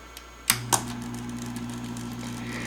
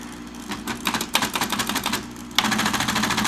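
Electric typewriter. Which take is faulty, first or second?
first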